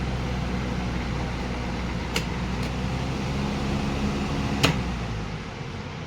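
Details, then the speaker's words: Symphony air cooler fan motor after rewiring with 2 rotary switches, 3-speed motor running: even steady hum with soft airflow rush and a couple of brief clicks; normal fan motor running. "तो सबसे पहले हम motor को चालू करते हैं। तो motor चल पड़ा है, देखिए 3 स्पीड"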